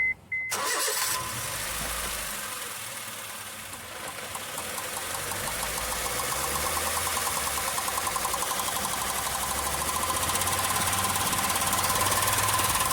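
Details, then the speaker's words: Honda Fit 1.4 on lift, noise at 60–80 km/h: fast, even ticking over drivetrain hum rising with wheel speed; oversized-head nylon tie replacing CV boot clamp, loose, striking the heat shield. "essa cinta a cabeça dela aqui é muito grande ela pega na lata aqui do defletor é o defletor de calor aqui"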